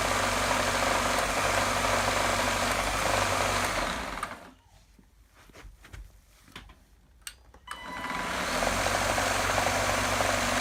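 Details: GTECH AirRAM K9 cordless vacuum, which became troublesome after earlier battery problems: the motor runs with a regular rough knock about three or four a second, cuts out and restarts; faulty switch or bad motor suspected, noise seems to come from the body.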